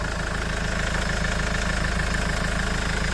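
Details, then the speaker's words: Mahindra XUV500 W10 diesel started after sitting a long time, mic placed near the engine: steady, even idle clatter with no knocks or stumbles. The owner judges it fine and asks whether any abnormal noise can be heard. Normal idle. "இதுதான் வண்டியோட engine noise. Engineers எல்லாரும் கேட்ுருப்பீங்க. இது அட்வான்டட் nice ஏதாச்சும் வருதா இல்லையான்னு எனக்கு mention பண்ணுங்க. என்ன பொறுத்த அளவுல பைனாதான் இருக்கு."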